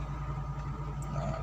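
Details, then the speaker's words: Suzuki APV engine idling, heard from inside the cabin: low, even hum with steady pulse, no knocks or rattles; still smooth. "Insyaallah masih halus ya masih halus-halus ini masih ori semua cast"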